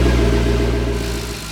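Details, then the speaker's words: C6 Corvette V8 cold start after sitting a week, after fixing a bad misfire caused by arcing and sparking with new coil pack wires; deep even idle easing down as it warms, no stumble, pop or miss. "so let's get a good cold start on this thing. Make sure we've actually resolved the issue. Make sure we don't have any more arcing and sparking"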